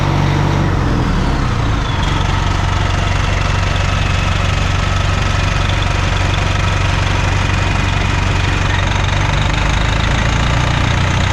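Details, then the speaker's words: Bus 1410 "Brutus", diesel idling after replacing original 24V fan drive solenoid without effect: heavy steady idle under constant roaring air rush never cycling off; fan clutch stuck engaged, fans always on. "Did absolutely nothing. I'm glad I did hook it up correctly though, but it didn't do anything, guys. That fan clutch is stuck."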